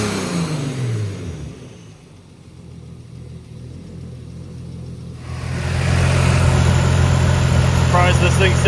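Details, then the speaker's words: 1990 BMW 318i E30 touring with turbo S52, revving after a fuel pump swap and freeing the stuck number 3 injector. It revs smoothly, drops back, then holds a strong even note with no missing cylinder; now running on all six. "can't tell if we're running on six or five that was just five number three was sticking really hard but we got it now"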